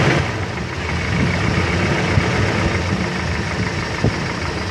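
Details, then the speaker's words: Toyota Kijang Kapsul engine at idle: a fast, light ticking of about four per second rides over the engine, indicating a noisy valve train. "Yo kita cari tahu Apa penyebab dari mesin Kijang Kapsul yang bunyinya kletek seperti ini nanti kita analisa bersama-sama nih suaranya begini Bro"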